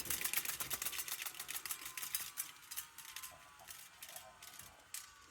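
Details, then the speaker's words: Half-track stereo reel-to-reel tape machine after rewinding, reels manually slowed then coasting: quick flapping ticks slowing steadily and fading over a few seconds; normal tape stop after rewind. "I love that sound of the tape stopping."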